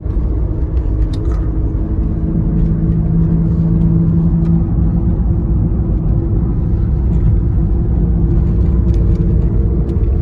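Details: 2009 Toyota Prius giving a low, steady whine above heavy road rumble while driving; cause unknown.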